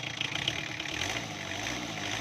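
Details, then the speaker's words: Diesel engine that was hard-starting, harsh-sounding and weak under load, after the injection pump was retimed via its two 12 mm bolts: even idle, no longer harsh, steady low beat without knock; running smoothly. "अभी sound भी आप सुन सकते हैं, पहले बहुत ज़्यादा कड़क थी, अभी इसे इंजन में जान आ रही है।"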